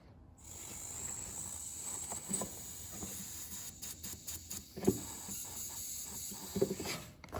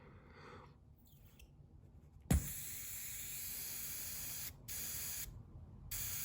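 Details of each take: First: 1968-72 Corvette C3 wiper door/pop-up headlight vacuum relay valve, air blown through by mouth; soft steady hiss escaping where it should seal, a vacuum leak, so the valve is replaced. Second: Brand-new vacuum relay valve for a 1968-72 Corvette C3 wiper door and pop-up headlight system tested by blowing: near silence, fully airtight, then a click and steady hiss of air venting when the plunger is pressed, normal.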